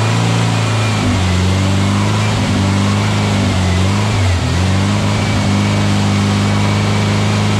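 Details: Freshly built VW Beetle 1679cc single-port engine, Scat C25 cam, dual Empi ITC carbs, 20-minute cam break-in run: smooth steady low drone at even speed with a brief dip; runs clean, no leaks, carbs still need tuning.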